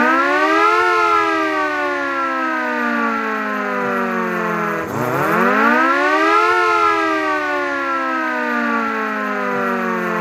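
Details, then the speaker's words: An air siren that had only run weakly and intermittently, now wired up and run after the repair. A strong wailing tone winds up, falls away, then climbs again to full pitch. The siren motor is spinning up properly and operating normally. "अब यह हम इसकी wire लगाएंगे और चला के दिखाएंगे। यहां पर आप देखें यह चल गया है।"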